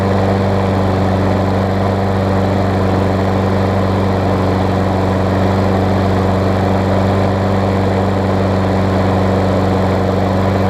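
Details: Craftsman self-propelled mower with Tecumseh engine on old gas, after tightening a loose, backwards-mounted blade that caused clunking: steady, even single-cylinder thrum at constant speed, no misses or knocks; normal running.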